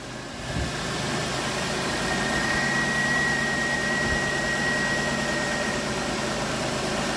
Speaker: Let's see if it starts up. First hit, start up and run just as fine as it wants to.